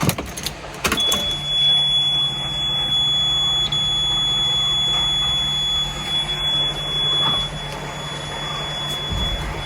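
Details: Ashok Leyland diesel cold start: brief crank, then a steady even idle with no knocking; healthy cold start.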